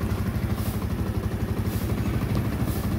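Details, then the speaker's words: Motorcycle, idle ("minor") after being adjusted lower: low, even putter with steady pulse and no tapping or clatter; the noise is gone and the engine idles quietly. "Ito lang naman ay na-adjust. Oh. Wala nang ingay."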